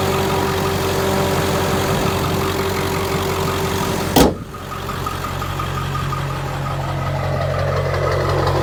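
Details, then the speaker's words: 2001 Ford Excursion XLT 7.3L Powerstroke diesel, 4WD, 207k miles, 5" turbo-back exhaust, mild tow tune; heard from outside at warm idle, steady even clatter, no misses or extra knocks, door thump midway, no blow-by; normal healthy idle. "All right, let me get out so you can hear it idle. No blow by."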